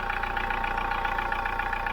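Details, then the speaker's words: Hyundai iLoad diesel van, about 3 years old, 39,000 km, short city trips, before Liqui Moly intake decarb; steady idle with even quick tapping clatter, about 90 dB front and back, noisier than new, carbon buildup suspected, unconfirmed. "So it sounds just like a diesel should, but could be sounding better. When it was new, it was better."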